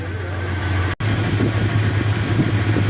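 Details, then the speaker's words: 2001 Dodge Ram 1500 V8 after swap to a good used engine (original needed a crankshaft), first start after a pulled pickup-coil/crank-sensor wire was fixed: steady, even low rumble with no knocks or misses, a healthy normal idle. "well there we go that's a pretty good running engine now"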